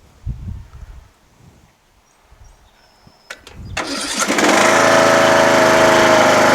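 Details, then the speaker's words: Craftsman LTS1500 lawn tractor repowered with rebuilt Briggs 17.5 HP OHV engine, valve lash redone, new fuel filter, lines and battery, original carburetor: brief crank, instant catch, smooth even run; normal start and idle. "I didn't do a thing to it it it works and runs great you know"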